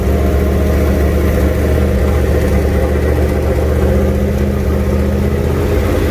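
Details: Junkyard 351W turbo V8 in a 1967 Mustang at first fire-up, new headers and wastegate, exhaust by the fender; steady deep idle with slightly uneven lumpy beat, no knocks or squeals; definitely needs a tune.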